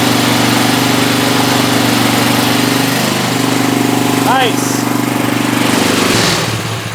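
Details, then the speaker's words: 1970s Hahn Eclipse BHT-120 tiller, 3.5 hp flathead Briggs & Stratton single, first run after decades left outside, on fresh gas after carburetor cleaning and mixture adjustment. A quick, steady, even putter for several seconds before winding down. Normal running. "Either way, we got it running, so that's awesome. I'm very happy about that."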